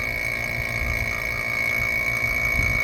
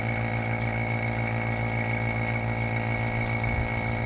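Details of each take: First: Vacuum pump on a 2nd-gen Toyota 4Runner's rebuilt air conditioning after loose fittings were tightened: a steady motor drone with a thin high whine and no surging. Vacuum holds better but still drops slowly; more fittings found loose. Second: 2nd gen Toyota 4Runner A/C rebuild, vacuum pump evacuating the system with moisture boiling out; even continuous drone with no pitch change and no hissing heard yet; normal vacuum pump operation, though a leak hiss was heard later.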